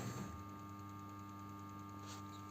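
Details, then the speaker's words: BMW E60 with engine off, just unlocked from sleep; terminal 15 powers start preparation; tank vent solenoid valve and idle control valve wake with a quiet steady hum and light even ticking; normal wake-up. "sonido de la electroválvula de de los gases de depósito y el sonido que teníamos de la válvula de relentín pues con contención preparados para el arranque"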